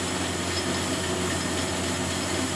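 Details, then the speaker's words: Lathe turning a 2-inch stainless steel bar mandrel for a dividing head spindle: steady, even cutting hiss with smooth motor hum and no chatter or squeal, the chosen speed and feed giving an excellent finish. "But with that speed there and that feed, that's putting an excellent finish on. Really good, pleased with that."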